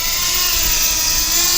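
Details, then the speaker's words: Floureon 250 FPV racing drone armed at low throttle before liftoff: a smooth, steady high whine from all four motors with no rasp or wobble; all motors are working normally. "it seems it seems fine actually all the motors are working"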